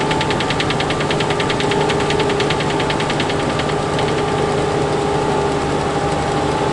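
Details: Freightliner truck at diesel idle: quick, uneven buzzy rattle about two to three a second, sounds low in the cab near the cabinet area rather than above.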